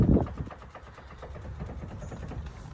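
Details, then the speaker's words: 2008 Ford Edge steering rattle: quick loose light clicks as the wheel is worked back and forth, coming from the intermediate steering shaft; fix is tightening its 12 mm bolt. "it's coming from here it's coming from your intermediate shaft steering shaft"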